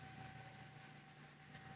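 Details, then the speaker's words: AMD FX-8350 stock CPU cooler fan under a stress test at about 94% load and 3.72 GHz, temperatures climbing: the fan speeds up from 5,000 to 5,500 rpm with a constant high-pitched whine over a low hum, awfully loud. "I believe you can hear the noise that this fan makes. It's just awful."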